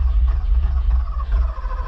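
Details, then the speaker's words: Long-sitting manual Porsche 928, cranked on a new battery with the fuel gauge on empty, fuel smelled and some banging heard. A low, steady cranking churn with only a brief catch. The owner bets it is not getting fuel. Finding: fuel delivery failure. "I'm on a bet that it's probably not getting fuel maybe it doesn't have any fuel in it"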